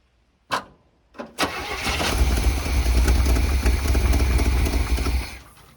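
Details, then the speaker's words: 1978 Chevy K20 4x4 Camper Special, after 13 years sitting, Seafoam just added and the fuel hose possibly slipped out of the fuel can: cranking bursts, then a lumpy uneven rumble that stumbles and dies. The owner suspects the engine might be shot. "i think this engine might be shot"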